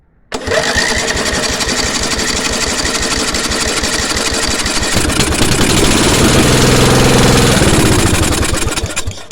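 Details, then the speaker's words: 10 HP Briggs & Stratton petrol engine, new spark plug, coil and fuel filter, petrol poured in with choke on: catches at once, runs rough and uneven fast for about nine seconds, then fades and stalls; cause unclear. "and cuts out again so what is it so I put brand new pixel fil in so there's no blockage from the tank"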